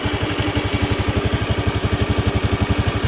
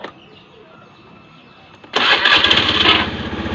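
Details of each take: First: Honda Beat FI scooter with rough, hunting idle, after adjusting the throttle body air screw clockwise; dirty throttle body blamed: steady, even thumping about three beats a second, no hunting or stumbling; normal idle. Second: Honda Beat FI scooter with rough, slowly rising and falling idle: starter whirrs, engine catches into fast loud steady idle; high idle from too much air, air screw to be turned down clockwise.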